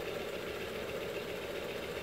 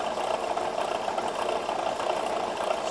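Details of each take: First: ACME handsaw vise and filer, after cleanup and link belt installed: quiet, even whirr with no knocks, just faint rustle from the link belt, which a regular V-belt might cure; running smoothly. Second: ACME handsaw vise and filer, first power-up: steady mid-pitched hum with a soft rhythmic tick about a hundred a minute; pulley noise because a set screw is missing.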